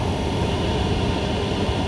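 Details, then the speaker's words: Hcalory TB2S Plus diesel parking heater warmed up, fan speed 3: steady, even rushing roar with quiet fuel-pump clicking and no surging or misfire, burning cleanly at full output. "Okay, so it started clicking. I don't know if you can hear this or not. It is a lot quieter than I would have expected."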